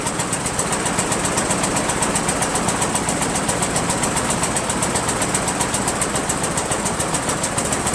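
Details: Rebuilt Briggs & Stratton 17.5 hp engine (synchro balancer links replaced) repowering a Yard Machines lawn tractor: engine chugs with an uneven, lumpy knocking beat near four per second and backfires; carburetor suspected, not confirmed.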